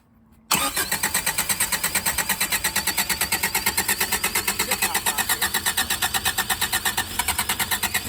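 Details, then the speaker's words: 1984 Subaru Brat (84 or 85) carbureted with fuel return system, sat about 10 years: even cranking about three beats a second, never fires; 25 psi oil pressure, no fuel reaching the carburetor yet, filter barely filled. "I don't think it's got fuel yet. It's got 25 pounds of oil pressure. It's just cranking."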